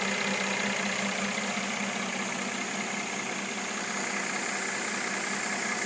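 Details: 2013 Mercedes E350 W, new car: light, fairly regular knocking about two to three per second over a smooth idle; engine knock at idle, source unclear.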